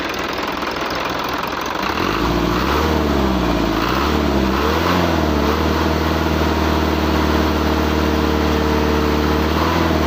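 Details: Hino truck diesel starts and settles into a lumpy idle that surges up and down; uneven engine note, cause not identifiable.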